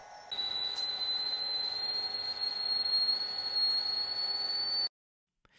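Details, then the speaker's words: Early-1990s Macintosh Performa 450 (LC III) with a thin, steady high-pitched whine that came back; the machine also would not boot from its hard drive; traced to failing logic board capacitors needing a recap. "But first, again, I would also go for recapping the logic board first as this high-pitch winding eventually came back."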